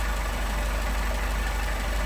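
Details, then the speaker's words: Engine on Solex 44PHH carburetors at idle: mixture screw backed out too far, so excess air is pulled through the throats. Low, uneven idle dips and stumbles with a hiss of extra air; running lean. "Back it out too much and you start to hear excess air being pulled through the"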